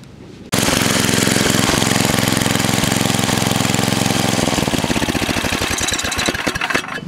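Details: Vintage small single-cylinder snowblower engine with new kill-switch wiring: catches and runs evenly at fast idle, then firing slows and cuts out cleanly when the throttle grounds the coil; switch works.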